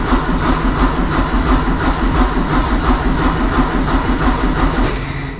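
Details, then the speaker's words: Porsche 944 project car, first start attempt after new oil, fuel filter, air filter, battery, spark plugs and ignition: lumpy, rhythmic starter cranking about three pulses a second with even compression beats, turning freely but not firing yet; normal cranking. "So it's turning the engine over. That's good. Feel the lumpies of it."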